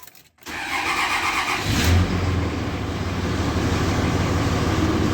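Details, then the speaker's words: 2003 Dodge Ram 3500 dually diesel, first start after sitting: short crank, then catches and settles into steady, even idle clatter; oil pressure up and charging, a clean healthy start. "Well, she's running. Oil pressure is up. It's charging."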